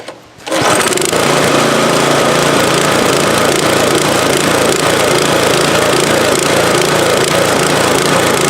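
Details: MTD-built snowblower assembled from two junk machines, primed three times and pull-started: catches on one pull and settles into a steady, even single-cylinder drone with no misses or knocks; runs normally.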